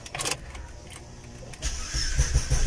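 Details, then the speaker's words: Opel Astra starting on the first turn of the key and idling; soft, low, even idle that barely rises above the background, rpm steady, no warning lights on the dash: normal start and quiet idle. "Vean, al llavazo arranca el coche. O sea, de hecho, si ustedes escuchan el motor casi ni se oye que esté prendido, ¿no?"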